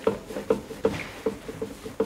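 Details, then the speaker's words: Porsche 991 GT3 Cup race car on jacks, wheel rocked by hand during pre-season service: sharp hollow clunks about every third of a second from play in the inner, subframe-side ball joint, not the outer one; worn ball joint. "alors vous l'entendez plus que que ça se voit évidemment mais on a quand même une rotule qui qui commence à dégager comme ça"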